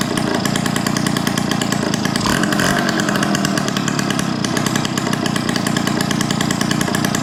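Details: 1971 Yamaha Mini Enduro two-stroke, after clearing an acorn piece and dirt from the carburettor: harsh, raspy, fast and loud crackle because the muffler washer O-ring was left off. Loud exhaust from missing muffler seal.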